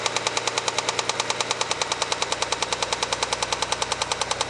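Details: Mitsubishi 3000GT at light throttle after 10 track laps and very high oil temperature, almost new Motul 300V 15W-50: sharp regular metallic knock about three per second; not yet diagnosed, owner fears rod knock.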